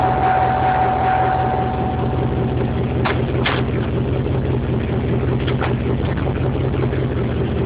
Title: clunk noise when put in drive